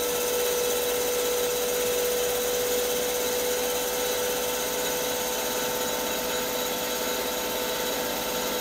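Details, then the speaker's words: CBN insert turning a sintered tungsten carbide end mill shank on a lathe, feed 0.03 mm/rev, 0.05 mm depth of cut, first pass: clean steady high cutting tone over even spindle hum, no chatter or squeal; smooth cut, good finish. "okay first cut finish doesn't look too shabby the sound cuts through this the the cut sounds really nice it's really impressive"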